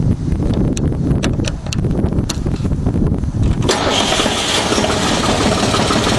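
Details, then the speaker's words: Deutz diesel generator set, first start after repair, generator making over 50 volts, started on low speed; several clicks and cranking, catches about four seconds in and settles into an even, fairly quiet run; normal idle. "screwdriver. Pretty quiet."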